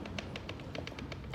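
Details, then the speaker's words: 2010 Dodge Charger 3.5 L V6 at idle, one side's rocker arms off: light, quick ticking rattle about eight per second over quiet idle, only at idle, from the rear driver's-side rocker set; rocker arm rattle. "so it's kind of like like that noise and it only does it at idle"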